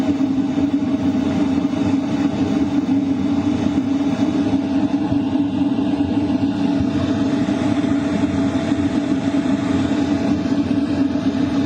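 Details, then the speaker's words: LF Bros diesel heater at maximum 5 kW, combustion power 99%, heard inside a tent at night; airflow noticeably stronger: steady fan rush with even mid-pitched hum, no rattles or surging; normal running at full power. "You can definitely hear the airflow pick up. It's a lot stronger. The combustion power is also at 99%."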